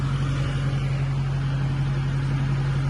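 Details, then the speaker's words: Tractor with glide shift transmission, upshifting toward eighth gear without the clutch: constant low hum with a steady buzz over the engine; owner questioned grinding, deemed normal hydraulic clutch actuation. "en it kind of makes a noise trying to see if that's grinding or if that's how this transmission is designed to operate"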